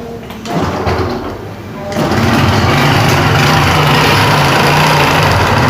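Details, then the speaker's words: Honda Pop 110i motorcycle at idle: fast, fairly regular clatter about four per second over the engine; blown camshaft bearing, worn cam, replaced along with the tensioner kit. "Problema da moto. rolamento do comando estourado."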